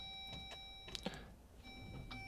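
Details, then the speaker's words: 2022 Jeep Wrangler Unlimited, 3.6 Pentastar V6, key turned: only a repeating dash chime, no crank or click; won't start, main battery about 9.6 V, dragged down by a bad auxiliary battery. "Keeps dragging down the main battery. You can't even start it, it won't even start right now."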